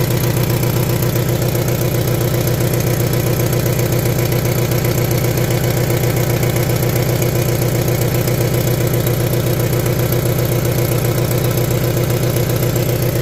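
Deep, throbbing idle with a regular pulsing beat about one and a half per second, running rough rather than smooth. Cause suspected, not confirmed.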